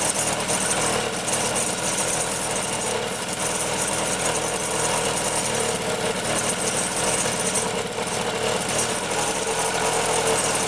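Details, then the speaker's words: 1974 Honda Elsinore MR50 50cc two-stroke running ragged and uneven with a busy rattle. Gas is dripping from the carb; the owner suspects a sticking needle or a float not rising, and a carburetor fault. "nope let's see here yeah it's got to be something with the carburetor"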